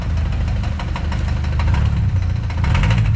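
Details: Kia Sportage engine: rough idle with steady low rumble and repeated sharp light knocks on top; mechanic says it is not fuel knocking, cause not confirmed.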